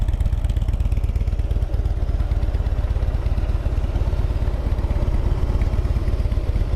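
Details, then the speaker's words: Used 2015 Harley-Davidson Heritage Softail Classic FLSTC with ABS at 12,705 miles, after a certified pre-owned inspection: a deep, steady, even V-twin idle lope, smooth and quiet, with no ticks, knocks or strange noises. "Engine's real smooth, nice and quiet, no strange noises."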